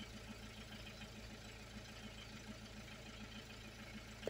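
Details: 2001 Peugeot 306 2.0 HDI diesel, running after the no-start was fixed by replacing the ECU and having it reprogrammed to the car. Quiet, steady low diesel patter with an even beat and no stumbles or knocks. Normal idle.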